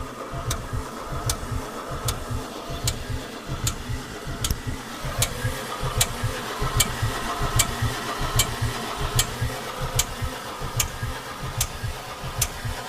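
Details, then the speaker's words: Mercedes 300D with 603 diesel, sat three years with water in the fuel system: cranks without starting, sharp metallic click about once a second over starter churn, sounds like no compression; lifter or injector suspected. "That sounds really unusual for a 603. A loud click. It kind of sounds like there's like no compression."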